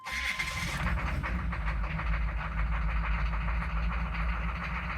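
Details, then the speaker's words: Chevy/GMC 6.5 turbo diesel with aftermarket turbo, restarted after glow plug cycle following a struggling run typical of a failing PMD (pump mounted driver); steady smooth idle with no misses or stumbles; normal idle. "and now the truck runs smooth uh without any issues"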